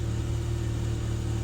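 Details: 2013 Ford Fiesta 1.25 L with code P0303 (cylinder 3 misfire), after replacing the coil pack, spark plugs and ignition leads and clearing codes: a smooth, even idle with a steady beat and no stumbles, firing on all cylinders.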